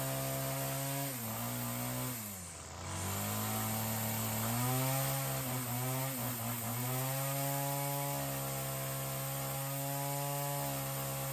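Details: Ryobi CS30 two-stroke string trimmer with newly fitted aftermarket HiPA carburetor after tuning: revs up, dips once, climbs back, holds a clean, steady, strong buzz; throaty and much healthier than the previous cheap carb. Normal running.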